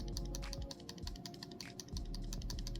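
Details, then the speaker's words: BOBLOV F2 2K body camera shaken or moved: quick, uneven plastic ticks and clicks; internal rattle, owner suspects the infrared light switching part, source not confirmed. "you can hear the rattling and especially when you you know you you use this and if you're moving around a lot you're could to hear rattling"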